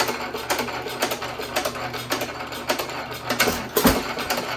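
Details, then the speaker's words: 1917 Economy hit-and-miss engine with old higher-compression piston refitted in place of low-compression one, buzz coil ignition, same speed setting, on stand: steady slow chuffing, clean pops, no compression hiss past rings, runs better. "doesn't that run better? You don't hear all the compression around the rings and out the back end this time, do you?"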